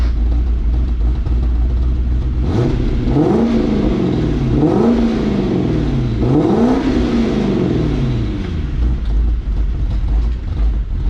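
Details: 1992 Lexus SC400, stock 1UZ-FE V8 and stock exhaust, 117,900 miles: blips up and drops back with a choppy, loping note, a rough cam-like idle; vacuum leak suspected, not confirmed.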